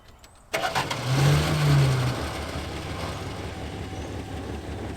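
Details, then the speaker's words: 1973 Dodge Dart Swinger with valves adjusted and rebuilt carburetor, started with a little gas: brief crank, catches quickly with a small rev, then a quiet, smooth, even idle. Normal start and idle. "as you can see it doesn't really sound like a muscle car she's quiet super quiet but it runs really well"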